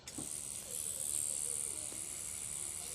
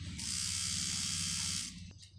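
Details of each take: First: Cheap online rotary tattoo machine running at about eight volts with a standard needle fitted; steady, even high-pitched whir with no stutter or knocking, quiet but with some vibration, running normally. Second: Cheap online rotary tattoo machine fitted with an 11 magnum cartridge needle: high buzzing whir with a low rattling motor beat that fades and stops, louder than with standard needles; struggles and stalls with the cartridge needle.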